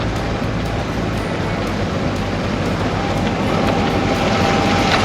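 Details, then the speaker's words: Lincoln Continental Mark III rescued after 32 years of storage, driving after tuning and transmission and brake fluid: steady thump about every quarter second under road noise and music from a flat-spotted tire. "You can hear the flat spot on this tire up here."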